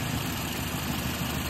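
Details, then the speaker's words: Mazda CX-7 during idle speed relearn, after 20 minutes idling, AC switched on: low even idle hum with slight added load drone as the AC compressor cuts in; idle holds steady, normal. "Yan na, nagte-trigger na yung compressor, aircon compressor."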